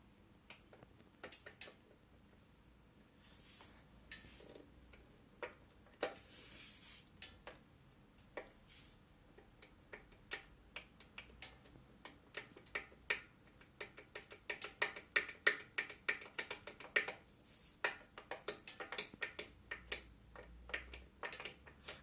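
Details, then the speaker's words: Yamaha XV1700 Midnight Star front end: sharp irregular metallic clacks on rough road, gone when brake applied; likely front brake pad pins loose in caliper, not forks or bearings. "прижимаешь тормоз этого звука нету как бы если ваш черта ляпает впереди ну скорее всего вот пин колоды суппорте"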